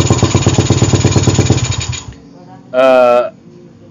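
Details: Suzuki Satria with PE carburetor that was hard to start, especially cold, and stuttered; after replacing the carb's internal parts, the engine catches and runs with quick, even firing, no stumbling: normal running.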